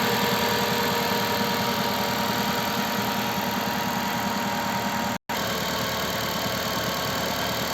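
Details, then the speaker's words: Gentra after overnight -20°C cold start, ECU reflashed to hold raised warm-up idle about 1400 rpm for a minute or so, later 1200; steady even fast idle with no knocking or gearbox noise, which previously appeared at factory 850–900 rpm; normal cold-start fast idle. "где то он должен в около минуты полторы поработать на повышенных оборотах а потом понизится"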